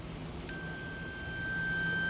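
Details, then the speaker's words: 1972 Kimball Swinger 1000 electronic organ repair. A capacitor, taken out of circuit and tested on the multimeter diode/continuity setting, gives a continuous high-pitched beep after a short pause: that capacitor is shorted. "yeah that one's shorted"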